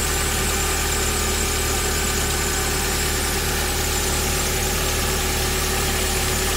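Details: VW Gol AP 1.6 petrol engine idling: faint whirring, chirpy noise from the front accessory belt area, louder when cold; belt, tensioner bearing, water pump or alternator suspected, not confirmed.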